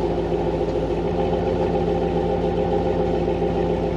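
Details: Truck idling after a new MAF sensor and O2 sensors were fitted to fix lean codes P0171/P0174 on banks 1 and 2: steady, even, smooth low idle with no misses or ticks, running clean.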